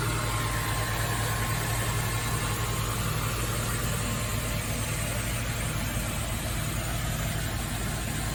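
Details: Nissan Fairlady Z Z33, VQ35DE V6, automatic, 310,000 km, just after a DIY engine overhaul: smooth, even idle hum holding steady speed with no ticking, knocking or misses. A healthy engine.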